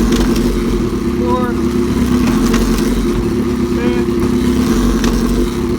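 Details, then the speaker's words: 2005 Suzuki GSX-R750, 21,128 miles, started for a part-out with ECU and fuel pump working and shifting through all six gears: steady, even four-cylinder burble at idle with no knocks, ticks or rattles, normal running. "I do want to show you that the bike runs and starts ECU works bill pump works shifts through all six gears knew what happened normal noises"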